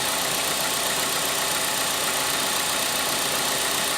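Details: 2010 Ford Galaxy idling: steady hissing, whirring abnormal noise from the AC compressor once it engages, cause unknown.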